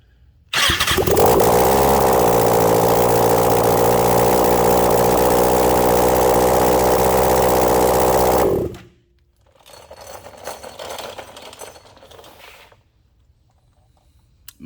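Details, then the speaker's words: 2012 Kawasaki ZX6R, about 28,000 miles, rebuilt after faint hot rod knock from oil-starved bearings; running without exhaust manifold, loud raspy idle smooth and even about eight seconds, no knock; normal running after rebuild. "but here's what this motorcycle sounds like without an exhaust manifold"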